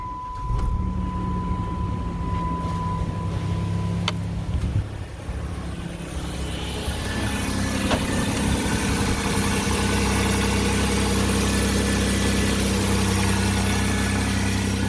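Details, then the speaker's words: Cold start right after replacing the spark plugs (iridium) and plug wires: the engine holds a steady, slightly raised cold high idle, smooth and even with no ticks, knocks or misfires, then idles down; running fine. "he's running good running at the high idle first thing in the in the uh day thing and let idle down"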